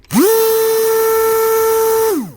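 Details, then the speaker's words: RC boat brushless motor bench test with Dynamite 60 amp ESC and 3650 motor; quick spin-up to clean steady high whine, smooth wind-down, turning a little harder than previous; normal motor run. "not bad sounds like it's turning a little bit harder than previous"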